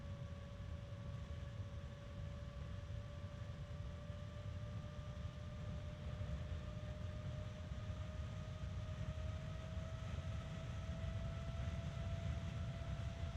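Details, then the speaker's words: Evercool EC7015M12BA slim 70mm 3-pin ball-bearing fan, rebranded StarTech FAN7X15TX3, spinning up to high speed: steady airy rush and clean whine rising in pitch; the bearing noise heard at minimum voltage is masked at speed. Normal. "as with all small fans that actually need to move air this one spins very fast and it has a fair amount of power to it"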